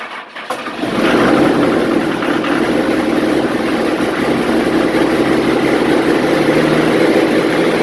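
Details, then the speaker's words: Junk diesel truck run for the first time in about a year, started by a hotwire to the fuse panel. After a brief crank it settles into a steady, slightly rough idle with even diesel clatter. Runs normally. "So she runs. It's fucking great feeling to just fire it up once in a while"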